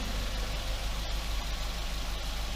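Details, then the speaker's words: Toyota Yaris after repair of a broken catalytic converter (P0420, low catalyst efficiency; exhaust rattle blamed on accident damage): steady, low, even idle with no rattle, hiss or tapping; engine and exhaust now normal. "araç şuan Gayet normal Her şey yolunda"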